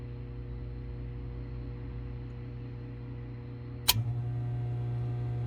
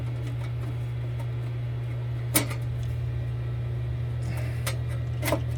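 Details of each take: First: 2015 Frymaster FPEL314CA 208 V three-phase electric fryer after heat contactor replacement, cycling: one clean snap as the contactor pulls in, then a quiet steady hum with no chatter. Contactor working normally. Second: 2015 Frymaster FPEL314CA 208 V three-phase electric fryer while cycling heat: loud, steady mains hum and buzz from the heat contactor, its button stuck and not coming up when cycling; contactor must be replaced.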